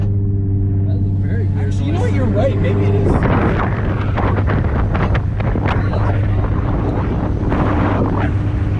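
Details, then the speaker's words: Toyota IS300 with a lower-quality aftermarket turbo (NA-T conversion), under boost: deep steady engine drone with irregular sharp pops and rattly backfire-like bursts, inconsistent; turbo found damaged on inspection. "that's a weird noise yeah it sounds like it's backfiring huh"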